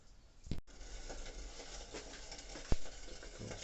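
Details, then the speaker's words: Koln 80 L electric water heater with two dry heating elements, about 10 months old, gives a soft, steady crackling sizzle like frying in a pan while heating, stopping when switched off. "беру включаю его попросту на серединку выбился и слушаю удачу даже не с ниже звук началось усиливается это ответственные этот на сковородке жариться что-то"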